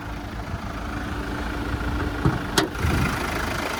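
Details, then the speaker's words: 2020 Kia Sorento GT-Line diesel, serviced at 16,000 km, heard under the engine while running: steady low diesel clatter at idle, even and smooth with no knocks, rattles or squeals; healthy engine. "Beautiful, so we've got that diesel motor ticking over nicely. You listen to it run, no major knocks, rattles or squeals, no builds up with rust or red dust, very clean and tidy,"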